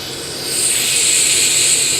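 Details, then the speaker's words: Free-spinning non-returning yo-yo with precision ball bearings: smooth steady high-pitched whir that swells and fades gently, no grit or rattle; bearings spinning freely and cleanly. "okay that's the sound of precision ball bearings"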